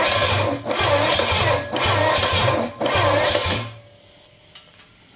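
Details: V8 with Quadrajet carburetor, batteries swapped, cranking while dumping fuel out of carburetor top: starter churns in lumpy surges without firing, then stops; owner suspects fuel pump over-supplying.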